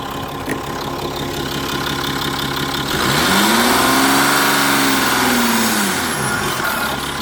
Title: 2.7hdi bruit moteur